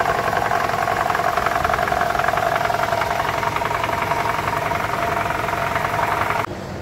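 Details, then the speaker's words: 2012 Toyota Camry 2.5 2AR-FE, idling after about 10 minutes at normal operating temperature, in a balance shaft replacement job for a low-RPM rattle under load: a steady, even hum with no pounding or rattle standing out. Sounds healthy. "so we've been running for about 10 minutes we're at normal operating temperature and this is the noise"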